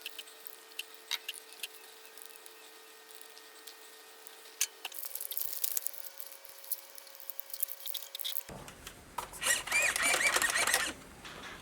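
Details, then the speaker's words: Maverick Quantum Flux RC car after replacing stripped plastic spur gear with metal one and setting mesh: faint motor hum then short high whir, smooth gear mesh, no clicking or grinding. "Alright, now for the test. And that sounds a lot better."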